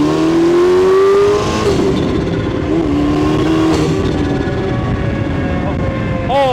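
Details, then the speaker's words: GM LNF 2.0L Ecotec turbo engine with a new genuine GM/Bosch high-pressure fuel pump replacing a knockoff, under hard acceleration. A strong note climbs smoothly with no stumble, and the turbo spool through the recirculating bypass is audible. Power is clearly improved. "Yeah, so you can really hear that turbo spin off spin off spin up with that bypass."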